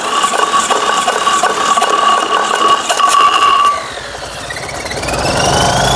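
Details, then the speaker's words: Fiat 126p (Maluch) engine run on 92% denatured alcohol instead of petrol, carburettor drained: rough rattling firing for a few seconds, then fades and dies before cranking resumes; stalls on alcohol fuel, owner hopes warming up helps. "ciekawe no pali i po chwili gaśnie jeszcze raz ale jest taki zapach denaturatu"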